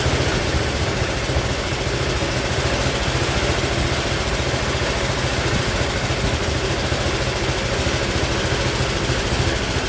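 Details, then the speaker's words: Speedex model 1630 garden tractor single-cylinder engine with new carburetor, reused old head gasket, running and moving first time in years: ragged, uneven thumping around 200 pulses a minute; running rough, cause unconfirmed. "It's not running the greatest. I mean, it is running and riding, but it's not running the greatest."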